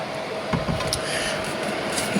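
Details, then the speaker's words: RTX 2080 Ti graphics card in a running PC: thin, steady whirring drone with a rough edge from the middle of its three fans, which stops when that fan is held; likely bearing noise. The first fan doesn't spin at all. "지금 소음 들리시죠? 이 소음이 어디서 나냐면 그래픽카드 때문에 나는 건데,"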